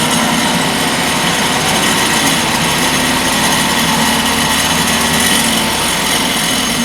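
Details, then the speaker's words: 2003 Nissan Frontier XE King Cab, 2.4L KA24DE, FS5W71-C transmission, after clutch and pressure plate replacement, running through gears at 1,000 rpm: loud harsh grinding hiss in fifth gear, something rubbing. "So, it works. It stinks a little bit. Something's rubbing somewhere."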